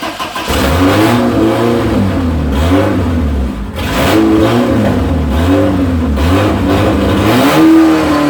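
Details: 1973 Opel GT with a 2.4 stroker Opel engine, fuel-injection intake manifold and MaxxECU, first start with no muffler and still needing tuning. Loud, uneven blips with wavering, stumbling revs: rough running.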